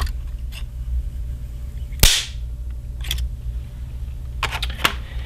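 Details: Airgap high-speed camera flash capacitor, charged to about 17–18 kV, switched off and deliberately discharged: one loud sharp crack among small clicks. Normal capacitor discharge snap.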